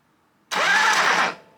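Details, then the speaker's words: 1973 Harley-Davidson Sportster XLH Ironhead, no kick starter, after replacing damaged starter Bendix engagement lever parts; short strong crank with starter catching and turning engine, spark present, normal starter cranking. "well I'm getting spark and it is starting it's turning the starter motor and it sounds like it wants to go so I'm super stoked"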